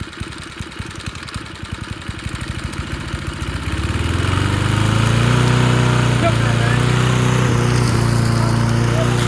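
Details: Junkyard Bob-Cat push mower, primed and restarted after a spark check: slow chuffing pulses pick up, it catches around four seconds in and settles into a steady, even drone, running fine.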